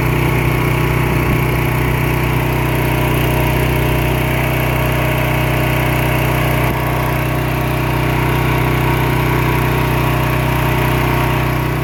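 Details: Pressure washer small engine with white oil (water leaking into the crankcase suspected), pressure increased while running. A loud, even drone holding a steady pitch under pump load, no hunting or bogging; it pulls the pressure fine.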